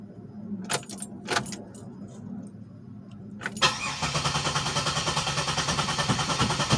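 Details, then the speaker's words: 2007 Pontiac Grand Prix that has not started for about a week, 5 gallons of 91 just added in case it ran out of gas: even starter churn around three beats a second that never catches; crank no start, with a fuel level gauge fault suspected. "so about to grab the key right now and let's see if she fires up she hasn't started in like about a week now"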